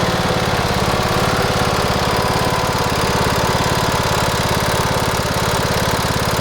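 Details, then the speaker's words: Cub Cadet LTX1040 riding mower with 90 original hours that runs poorly: fast, steady ticking locked to the firing rhythm over a loud single-cylinder idle, which appears once warmed up. Source is unclear, and the owner wonders if the engine is on its last legs. "you might have been able to hear it a little bit when it warms up it ticks when you're in the safety of the house"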